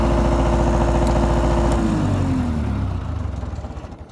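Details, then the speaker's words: MEP-003A 10 kW air-cooled diesel military generator, started after glow-plug preheat: fires quickly, even steady beat, winds down smoothly; normal running. "i wasn't expecting it to start that quick so we'll start we'll start it up again"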